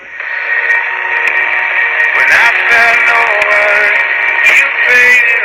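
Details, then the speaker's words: 1962 Emerson 707 transistor radio on slightly under 4.2 V, playing an AM bluegrass station with lightning nearby: clear music and singing through a small tinny speaker with mild static crackle; normal reception. "foreign actually doing pretty good [Laughter] there is some lightning just heard it I had a full 4.2 volts would probably be a little stronger"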